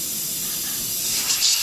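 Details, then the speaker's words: 2006 Ram 2500 5.9 Cummins diesel, heavily hauled, with low fuel economy, high EGTs and power loss; boost leak tool pressurizing the intake produces a loud steady high-pitched air hiss from an intake boot, a huge boost leak. "no no way i should have seen that one [Music] that's a huge leak oh my gosh"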